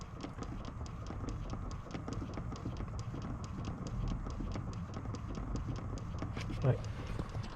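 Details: 2018 Chrysler Pacifica, steady light tapping about three clicks a second under the dashboard after switching the car on and off; broken HVAC air inlet door actuator, the right/first one, replaced with part 68164960AA.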